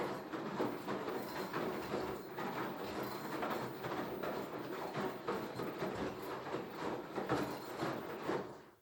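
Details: Beko HTV 8733 XSO washer-dryer making a strange steady, repeating clattering rattle like a train on rails, cause unknown.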